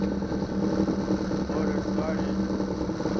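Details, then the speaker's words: 2009 Yamaha 6 hp four-stroke outboard, previously a non-starter, now started after troubleshooting; impeller changed, cold water shooting far out the back; steady even low idle hum with no misses or knocks: normal idle. "Started the motor. Water shoots out in the back really far too."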